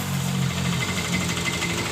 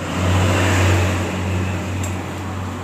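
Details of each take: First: Yamaha Mio M3 scooter at idle: rough, uneven rattling clatter from the left CVT case that disappears when the throttle is opened; the bike was under-serviced. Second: Yamaha Mio M3 scooter after the drive belt area on the left CVT case was opened and the belt refitted; it starts and settles into an even idle, and the earlier rough clattering knock is gone.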